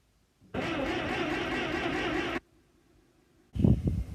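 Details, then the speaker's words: TD9 crawler, fresh non-ethanol premium with fuel heat, battery charged beforehand. The starter churns steadily for about two seconds and stops without the engine catching. Cranks but won't start; ether is to be tried next. "Well, still nothing. It's disappointing me. I'm going to try it with some ether."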